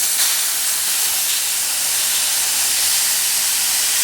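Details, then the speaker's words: Used Weather King air conditioner, before vacuum and blank-off: a steady, sharp high hiss with nothing underneath; refrigerant escaping from a leaking fitting on the delta P side. "See that thing taking off to the races? That's a leaker on that delta P side."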